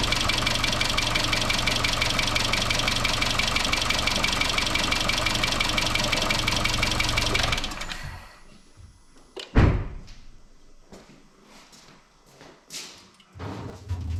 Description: 2013 Chevrolet Cruze 1.4 Turbo engine rattle caused by loss of oil pressure in valve lifters oil galleries due to loose timing chain upper guide.